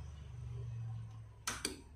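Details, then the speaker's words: Relay switching a 220 V light bulb: low transformer hum fades, then two sharp clicks a fifth of a second apart as contacts change from normally closed to normally open; normal operation. "Okay, as you can see, you can hear also the clicking of the contact when it changes from normally closed to normally open."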